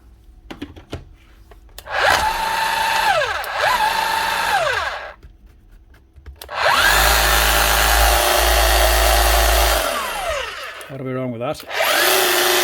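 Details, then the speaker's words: Makita HR3210C rotary hammer drill from a tool auction, after repair with new motor: spins up to a steady whine, holds speed, winds down smoothly, no grinding or rattle. "Motor sounds good. It's hammering fine."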